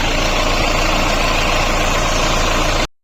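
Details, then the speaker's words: Mahindra Bolero diesel after water pump replacement (bearing failed from an over-tightened alternator belt); now a steady even idle with no knocks, ticks or whirring, and pump rotation is correct. "अभी कोई किसी प्रकार का कोई sound नहीं है। बिल्कुल ओके है। अब जो है इंजन की आवाज बिल्कुल प्रॉपर है एकदम"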